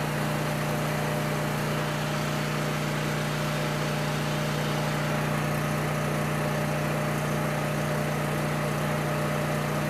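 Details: Coleman Powermate 6560 generator, after the fix for running only on choke (carburetor gaskets had been in the wrong order; oil was overfull and smelled of gas), under load: steady, even drone, constant hum, no surging or misses; normal running.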